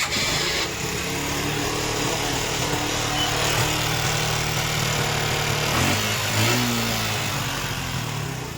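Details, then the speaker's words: Suzuki Gixxer single-cylinder engine idling with a loose, uneven knock under the exhaust note: the bike was run without oil, seized, and the piston is now loose in the block; a new piston is planned. "इसमें main piston का problem है, piston आवाज़ कर रहा है इसका।"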